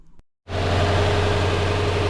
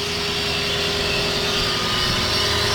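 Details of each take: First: Lexus LS460 V8 after replacing the serpentine belt tensioner, idling steadily and evenly with no squeal, chirp or bearing rumble; the belt pulleys are now silent. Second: Lexus LS460 V8 at idle: a steady whirring whine and busy rattly chatter from the front of the engine, from a worn serpentine belt tensioner and idler pulley bearings.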